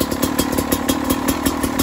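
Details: Beta RR 300 two-stroke, first start after conrod and piston rebuild, electric starter, 138 engine hours: crisp, even popping at a steady fast idle, no knocking or rattling from below; normal running.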